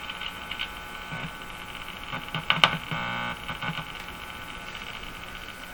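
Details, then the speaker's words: Mohawk Model 1240 five-tube radio during RF alignment: steady thin electrical buzz under the speaker hiss; probably coming from a clip lead on the test setup, not confirmed. "the buzz is probably just coming from this clip lead"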